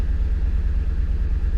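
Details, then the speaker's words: 2008 Ford Expedition Limited, about 235,000 miles, after clearing codes with none returning: deep, uneven thumping idle with a loping pulse that never settles into an even beat; running pretty bad, owner suspects a timing issue, unconfirmed. "still running pretty pretty bad I don't know what that noise was could be a timing issue there's got to be a timing issue"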